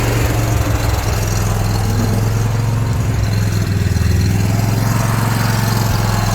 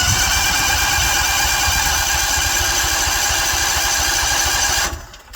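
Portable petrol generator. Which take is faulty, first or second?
second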